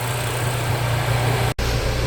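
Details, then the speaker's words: Flood-damaged salvage Ford Focus RS, first start after oil flush, warming up with smoke: steady, deep, even idle with low exhaust burble and faint pops; healthy warm idle. "so I'm gonna keep letting her warm out the whole shop a smoked out but she sounds amazing"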